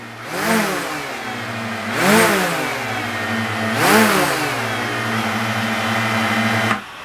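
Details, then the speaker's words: DJI Mavic Air fitted with Master Airscrew propellers, rev test on table: three quick rises and falls then steady hum, different softer pitch than stock; motors spin up evenly, healthy. "definitely a different pitch yes and the difference in pitch makes a sound softer"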